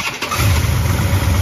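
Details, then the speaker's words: 1967 Dodge Charger with a freshly rebuilt 383 big block on aluminum heads, after fixing distributor problems; base timing about 24°. Quick catch into a strong, even rumble that revs cleanly: normal start and rev, with only mild tuning issues remaining. "maybe not that much more it actually sounds good now other than the mild tuning issues"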